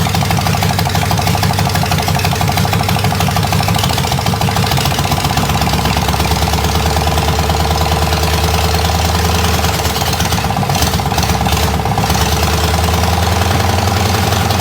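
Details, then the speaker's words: Buick 401 Nailhead V8 in a rail dragster, lumpy idle with a deep knock about three per second; owner suspects rod knock. "'s got a rod knock in it foreign 's knocking she is knocking you hear that well that's not good it definitely has a knock knock that's not good at all bro"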